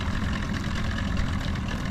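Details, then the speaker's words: Outboard on 13ft Delta T850 race boat after full restoration, first water test: deep even burble at idle, steady low rumble, no stumbles or hesitations; motor running great, idling healthy. "Motor seems to be running great though. There's no It sounded good. hesitations in it. Sounds good."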